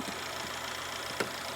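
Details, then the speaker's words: Mercedes CLS 400 M276 engine after camshaft and camshaft phaser replacement: quiet, even idle, only a couple of faint clicks, no rattle or clunking as before; engine sounds good; there is a turbo code. "It's nice. The engine sounds good. No more clunking noise."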